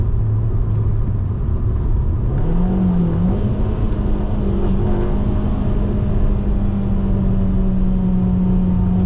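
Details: Alfa Romeo MiTo after replacing a leaking rear silencer (gap at the silencer-to-pipe joint) and the mid pipe with an Imasaf QV exhaust: revs climb from idle to a smooth, even drone with no puffing. Exhaust sealed and healthy.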